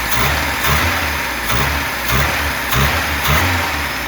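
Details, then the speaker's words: VAZ Zhiguli classic engine; quick blips fine, but at certain revs a dull knocking comes in and settles back; owner wonders about bearing shells or wrist pins, carburettor also hissing; engine knock at certain revs. "А вот сейчас смотри определённые обороты к будет успокоился на подкидывает колотит нахуй а так нормально"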